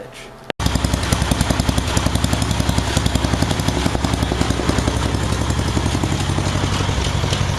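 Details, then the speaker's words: Craftsman track-driven 8 hp, 26 in auger snow blower, nearly seized after backing in; owner added a lot of oil: catches immediately into a quick, even single-cylinder putter with no knock or missing; running normally. "so I dumped a bunch of oil in it seems to be running real nice so that's pretty sweet"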